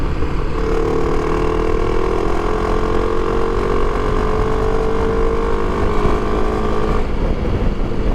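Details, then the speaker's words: Motorcycle on a round-the-world trip, pulling hard after a new clutch install and oil change to test clutch slip; engine note climbs smoothly and steadily with no rev flare, so the clutch holds under load; slipping may return at higher-gear speeds (fifth, sixth). "Có vẻ như đang giữ được. Hy vọng là nó sẽ giữ nguyên như vậy."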